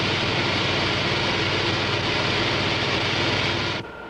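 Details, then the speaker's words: Model propeller in a water tunnel at constant rpm and low pressure: loud steady hissing crackle of cavitation on blade faces and tip vortices, cutting off as ambient pressure is raised until almost suppressed. "Notice the cavitation on the blade faces as well as in the tip vortices."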